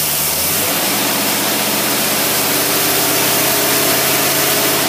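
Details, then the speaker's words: 1962–66 Rochester 4-jet carburetor on a running engine under increasing test-stand load. A loud, steady roar holds even revs without stumbling or surging; the carburetor copes normally under load. "that carburetor not even struggling"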